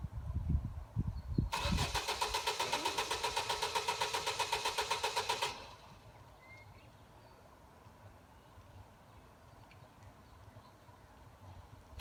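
Starter turns the engine over at a steady rhythm for about four seconds but it never catches, then goes quiet: cranks, won't fire.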